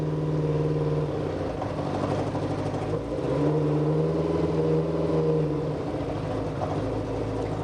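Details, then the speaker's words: Kawasaki 550 motorcycle at startup before warm-up, uneven stumbling beat about four per second, definitely missing; severe miss worse when cold, lacking power, short runs foul plugs. "no it's definitely a Miss it's not really really happy at all"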